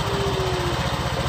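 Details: Honda Vario 125 LED scooter running with the ignition switch wiring bypassed, after a total electrical failure: steady, even putter with no misses or knocks; the engine idles normally.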